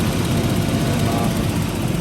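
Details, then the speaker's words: Old Jaguar XJ6 Vandenplas, revived after sitting, idling after the CPU/EP contacts were cleaned: steady, smooth low rumble with no rise and fall in revs; the earlier on-and-off engine surging seems to have stopped. "Now it doesn't seem to be doing that thing with the engine where it's surging on and off."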